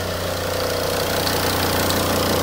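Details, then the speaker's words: Volvo S80 D5 diesel idling with the engine cover off after a fuel filter change and priming: steady, even idle with light injector clatter and constant low drone, louder without the cover; runs smoothly. "i'm really gonna spoil the sound of this d5 obviously the engine covers not on so it does make a lot more noise cracking engine"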